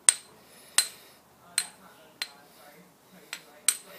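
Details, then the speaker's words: Ring test on an old grinding wheel, about 50–60 years old, for tool-post grinding: six sharp taps die away almost instantly with a dull thud and no proper ring; the wheel is judged dubious and not to be used. "so we're getting a bit of a dull we're not getting the proper ring"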